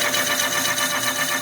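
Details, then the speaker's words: Honda CB 400 cylinder being bored on a boring machine with automatic feed. A smooth, even, high-pitched cutting hiss with no chatter means the tool is cutting cleanly and evenly. "Galera, ó esse barulhinho que eu gosto de escutar, ó. Quando ele pega certinho,"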